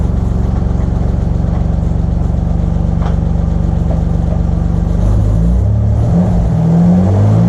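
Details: Turbo Probe that had sat 14 months, now running after its old fuel was pumped out: deep, even idle with a steady low beat, then a clean rise in revs; runs smoothly.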